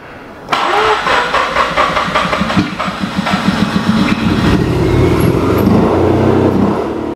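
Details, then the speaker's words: Mazda RX8 13B rotary after cleaning injectors, battery going flat: catches right away, then revs stumble and surge unevenly without settling; rough idle, owner suspects vacuum lines were off before. "battery went flat but it did start and run so we'll give it another hit and then I wonder if those vacuum lines were off before and that's why it won't idle properly"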